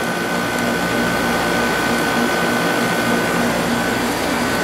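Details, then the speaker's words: Sharp 6500 BTU window air conditioner at about 70°F ambient, output air reaching 40.8°F; steady fan rush, faint constant hum, no rattles or cycling, working very well before being switched off. "So you get the point. It's working very well."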